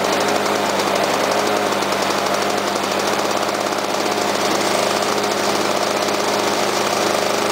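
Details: Lawnboy mower with a two-stroke engine, after a flooded start: a raspy two-stroke buzz running steadily with a slight uneven edge. It runs but needs minor carburettor tweaking.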